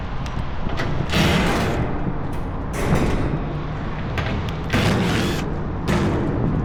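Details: AAON rooftop unit condenser fan motor, 3-phase: loose plastic clatter in uneven bursts over the fan's low roar; the brittle broken rain shield (slinger) has dropped onto the motor housing and rattles, sounding like failed bearings.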